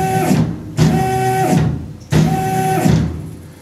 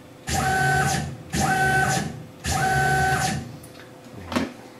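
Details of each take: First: Tormach PCNC 1100 Series 2 mill, freshly started: jogging X axis gives short bursts with pitched whine and uneven grating buzz while Y sounds normal; X-axis stepper motor driver failing. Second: Tormach PCNC 1100 Series 2 mill after replacing the failed stepper motor driver: three smooth one-second jogs ramping to a clean steady tone and back down; stepper axis runs normally.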